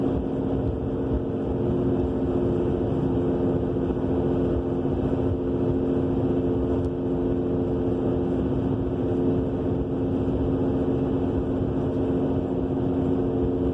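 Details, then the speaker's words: 2000 Subaru Legacy AWD while driving: constant low droning roar with steady hum tones from the rear, appearing soon after new brakes, calipers, rotors and wheel bearing; scraping when braking, source unknown. "We have this mystery roaring noise coming from the back end. Changed the brakes, calipers, rotors, and not long after all that, this noise appeared."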